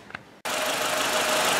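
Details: Renault 1.4/1.6 8-valve K7J/K7M engine started after replacing valve stem seals and adjusting valves: brief quiet, then catches into steady, even hiss-heavy run without knocking; sounds healthy.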